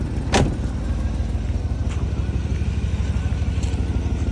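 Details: 2000 Chevy Tahoe Z71, 188,000 miles, check engine light on: idling V8 with deep, uneven low puffing rumble from exhaust leak near the catalytic converter underneath, confirmed by grass moving there.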